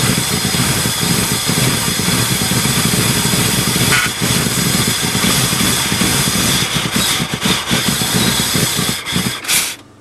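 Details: 1978 Ford LTD at about -10°F, jumped from a Buick: catches and settles into an uneven lumpy idle with hissy background; rough idle right after cold start.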